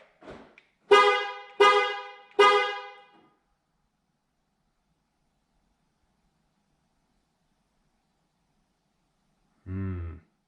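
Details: Honda Ridgeline (2006-2014) with newly installed MPC remote start using stock fob: three loud horn blasts about a second apart, then a short low honk; horn fires after one too many fob presses, system needing more programming.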